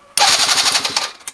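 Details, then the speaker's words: Venice QS50 QT-5 50cc scooter with old gas, ignition bypassed, tried with starting fluid: quick even electric starter churn about a second, never catches; owner suspects no spark. "Doesn't sound like it's getting sparked."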